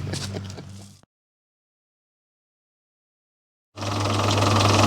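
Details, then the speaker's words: Volvo Penta KAD32 marine diesel with DP290 outdrive, which runs warm at full throttle (pump timing suspected retarded): after a short silence, settles into a steady, even low idle with no knocks or misses; running normally. "yeah that's an unusual sound sounds like an engine running looks right to me"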